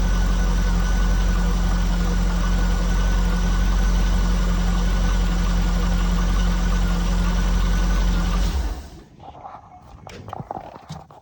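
Car engine idling with a steady, regular tapping, about four a second, then the engine goes quiet. Cause suspected, not confirmed.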